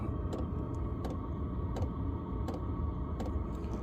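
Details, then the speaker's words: Chinese diesel heater fitted in a small van, two years old, run only on clean diesel, battery at 12.8 V: low steady fan rumble with soft fuel pump tick about every 0.7 s; running normally at lowest setting, putting out strong heat. "and there we go it's in it's on and that's it it slowest running speed and that's belting some serious heat out"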